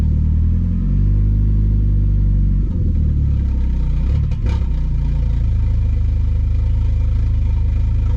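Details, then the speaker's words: Car with a new MRP 3" aluminum MAF housing and a 276 cam, warmed up after an ECU hard reset while fuel trims relearn. Idle drone, then a throttle blip that sags and bogs and recovers unevenly: hesitation on throttle blip, cause unconfirmed. "let's blip the throttle straight up not happy so that actually does change a whole lot with the fueling"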